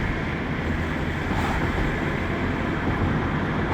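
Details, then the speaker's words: 1998 Renault Laguna 2 2.0 at 509,000 km, test drive after cylinder head and timing work: steady engine and road drone with no knocks, ticks or whine; running normally. "Evet bir ses yok şu anda gayet güzel yani problem yok"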